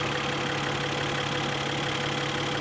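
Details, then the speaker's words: 2020 Mercedes-Benz E53 AMG 4Matic+ inline six (not a V8) idling: smooth, even low hum with no knocks or misses, a somewhat funky sound for the speaker; healthy idle. "this does not sound like a V8 ah it's not it's not it's at uh it's at six cylinder again it's an inline six that's why it sounds so funky"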